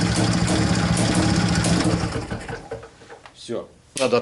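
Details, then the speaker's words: IZh-49 two-stroke motorcycle after piston knock treatment with solid lubricant, revved to listen: rises and holds smooth and even with no knock or rattle, then drops back; normal running, though an air leak between carburettor and cylinder remains. "Так ну что сказать Вы сами все видели сами все слышали по-моему никаких посторонних звуков Я не слышал Вроде бы все нормально должно быть"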